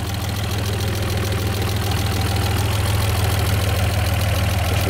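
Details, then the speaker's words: Alfa Romeo 156 GTA, 3.2 V6 Busso, revived after sitting over ten years: low, lumpy idle pulsing about three times a second, never smooth; runs only with the airflow meter line disconnected. "nou ja, het draait , maar alleen als ik de lijn van de stroommeter los laat, dus in dit stadium zou ik zeggen dat de"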